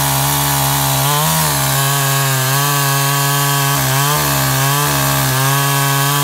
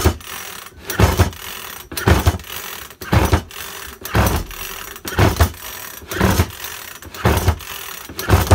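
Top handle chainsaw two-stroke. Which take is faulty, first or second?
second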